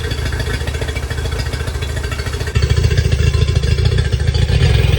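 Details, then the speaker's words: Yamaha 50HP (T50) outboard, long-sitting: uneven lumpy beat about three pulses a second with a stumble and surge; the weak cylinder ran briefly and then retested at zero psi, a dead cylinder with no compression. "ve it seated in there all the way try it again you ready y I don't hear anything so I'm assuming it's still zero a PSI"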